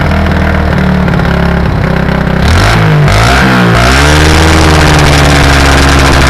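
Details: 1984 SR125 single revving: a rising note, then ragged crackling exhaust pops near the top of the revs, like car anti-lag. It is a high-rev misfire, and the owner suspects an intake leak.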